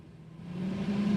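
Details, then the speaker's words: Renault 9 Broadway heater blower fan motor after servicing: smooth, steady whir settling into an even hum with no rattle or squeal, run through speeds 1 to 3; it was previously louder, now runs quietly. "Eskiden böyle e abimin dediği gibi abi motordan daha çok ses geliyordu Yani bunun sesini bir keselim diyordu yani şimdi artık yağ gibi çalışıyor arkadaşlar"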